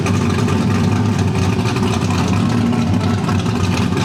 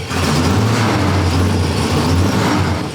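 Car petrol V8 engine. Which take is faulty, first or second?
second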